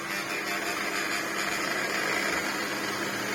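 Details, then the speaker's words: Large Electrolux vacuum, lightly used, power head: rough, strained high whirring with a gritty rasp and no steady tone. The brush roll stops as soon as the head is put down and had caused issues before; the brush roll motor is failing. "As soon as you put it down, the brush roll stops spinning. Which is obviously a massive problem for this power head, which is, you know, what makes this machine almost quite nice, even though it's not a great power head."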